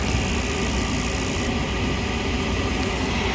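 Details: Lennox rooftop unit after heat exchanger replacement, test heat call: constant rushing roar from blower and burners, no surging, rumble or flame-out; normal burner operation.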